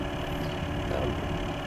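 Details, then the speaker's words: Corsair H100 water-cooling pump at its slowest setting: a constant even hum and drone, louder than eight fans combined, an excessively noisy pump; a replacement unit fixed it. "the pump is quite loud louder than a the family's route really louder than all the fans combined"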